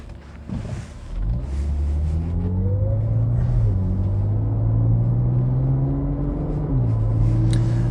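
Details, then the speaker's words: 2009 Land Rover LR2 driving under load a week after new NGK iridium spark plugs, a tank of 93 octane and clearing the check engine light; smooth climb through the revs and a clean shift, no hesitation, though the engine isn't warming up (thermostat due). "so far in terms of the way that the car runs it does run a lot better it doesn't seem to hesitate so that was actually a pretty easy fix"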